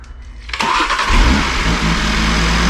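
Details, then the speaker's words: 2019 Audi RS3, badly damaged, second start after oil redistributed, no intercooler fitted; starter whirs briefly, then a smooth, even, fairly quiet idle: normal start and idle. "listen to this thing this thing actually sounds like a dream sounds nice and quiet"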